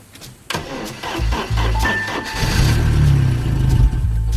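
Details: 1982 Porsche 924 Turbo (turbo engine, manual with clutch in) after years of storage, fuel pump on: slow, labored cranking at about three turns a second that never catches; owner suspects there's no fuel in it.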